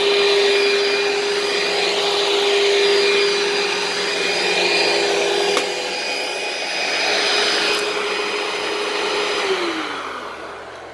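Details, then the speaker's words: Dirt Devil upright vacuum with swivel casters running; steady loud whirring roar with constant high motor tone, even until it winds down, loud but not too loud for a Dirt Devil, running normally. "it's also not too loud for a dirt devil i mean don't get me wrong it's loud but it's not for a dirt devil it's not too loud"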